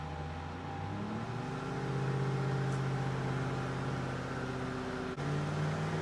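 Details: Restored Rover P6 3500 V8 on a Superflow dyno, warmed up with timing adjusted, at full throttle revving to a preset 5100 rpm then slowed; clean steady climbing note with no knocks or misses; first pull made 168 bhp at 4900 rpm and 202 lb-ft.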